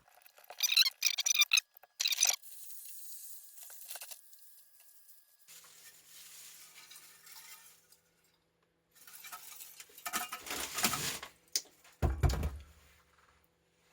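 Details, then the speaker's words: Medium voltage 7200V 200A sand-filled fuse from a distribution transformer's secondary side, shaken during teardown: bursts of light metallic clinks and rattles inside; loose pieces of fuse element show the fuse has blown. "Okay, that certainly sounds like that the fuse have blown, because there's a lot of metal things rattling around in there,"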